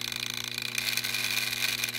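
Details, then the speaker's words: DJI Phantom 3 drone camera gimbal making a gritty, fast-fluttering grind over a low hum, with jello/wavy video; owner's forum-sourced fix is a loose mounting screw. "The video looks like jello-, like it's wavy and crap, and the gimbal's been making this grindy"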